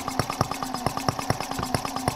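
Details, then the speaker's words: Microcosm R18 model of the 1886 Benz engine, first run while still being tuned: even, steady beat of about four to five firing pulses per second, no misses or knocks; remarkably smooth though fussy to set up. "We'll sit here and listen to it run when and if I can get it tuned in right. Remarkably smooth."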